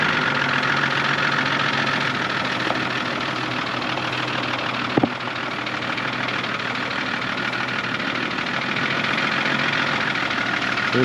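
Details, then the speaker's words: 2006 Toyota Land Cruiser GXL 100 series automatic 1HD-FTE diesel, about 200k, reportedly overheated: steady idle with a faint, loose, irregular ticking; owner suspects possibly a big end, cause unknown; engine ticking at idle. "it's got a really weird ticking noise I don't know I'll start it up for you in a minute"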